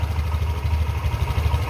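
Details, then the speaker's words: Old-model 2018 Honda Vario 150 fuel-injected scooter after replacing a weak, never-changed spark plug that caused misfiring and poor acceleration: low, even putter at idle with no misses, stable and clean on sudden throttle. "nah ini terdengar suaranya itu stabil ya tidak berebut seperti tadi"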